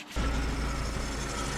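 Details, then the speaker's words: 2000 BMW E46 318Ci, M43 engine, idling: a steady, thin, high bearing whine over the idle that persists after the bearings were changed. Owner suspects the water pump pulley; not confirmed. "It's annoying sound. I changed the uh bearings. I can still hear it. I think it's probably the water pump pulley."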